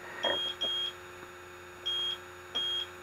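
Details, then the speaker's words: AC refrigerant leak detector held away from the unit before evaporator coil leak search: high short beeps in a slow steady pattern, pairs about every 1.5 seconds; zeroed baseline, no refrigerant sensed. "you got to take it away from the unit at first to get a baseline reading see the lights are going down it's getting in a steady state and what you want to wait for is for it to just do that"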